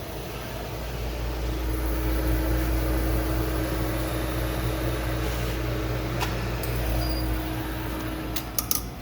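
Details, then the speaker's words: Tenney Benchmaster test chamber just switched on: the circulation fan moves air inside with a steady low hum and an even, smooth whirr, followed by latch clicks as the door opens. Running normally. "That's your on position. Your fan is circulating the air inside."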